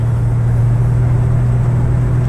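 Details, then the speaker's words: Toyota 4Runner after replacing rear differential bearings, cold day, driving at about 45 mph, where growl was worst, rising toward 60: only low even drone, no growl or howl; differential now quiet and healthy. "the old 4runner and guess what I have no more noise no growling no howling noise about 45 miles an hour and that's where it was really bad"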